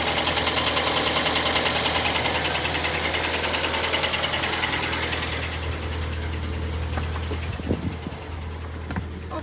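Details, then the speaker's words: Cold idle at 11°C on a pre-facelift 2013 Hyundai ix35 with G4KD engine, automatic, AWD, about 122,000 km: rapid, dry metallic clatter over the engine that fades at shutdown; piston slap from scored cylinders. "Как вы все слышите задиры сегодня на улице у нас не сильно тепло 11 градусов и брякание стоит хорошая очень хорошая"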